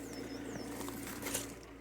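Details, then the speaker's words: Auction car with keyless start, after the alternator-related noise was fixed: quiet, steady low idle hum with no stumbles or knocks and birds chirping nearby. It was earlier lumpy, likely from a low, undercharged battery. "Yeah, now it's fine now. That's a result then."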